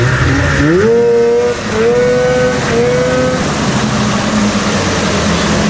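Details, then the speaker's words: 1997 Ski-Doo Formula 500cc two-stroke snowmobile run indoors after sitting 5+ years, with carbs cleaned, new intake flanges and primed fuel; clutch still being freed. Crisp revs rise and fall in quick blips, then settle into a steady, even buzz with no misses or knocks; running healthy. "Free up this clutch. The Dude, it sounds good though."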